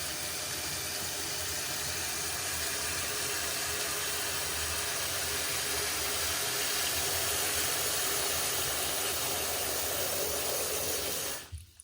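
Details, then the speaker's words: Toilet tank refilling after replacement with a new Fluidmaster universal fill valve, fill speed turned up: strong, steady rush of water, much quicker than the old slow valve, then a clean shutoff with no hissing, so the leak is fixed. "So that fills it up pretty quick compared to the old one, which is very slow. This is a lot quicker. And as you can hear, no hissing."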